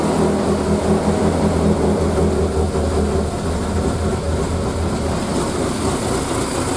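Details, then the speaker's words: Triumph Spitfire, unstarted for 3–4 months, battery charge uncertain, cold start in neutral on full choke: fires up and holds smooth steady low idle, smoking a little and smelling rich; would bog if driven; normal. "off the choke straight away idling at 500 wow admittedly if you tried to drive it now it a bog but you know she's there"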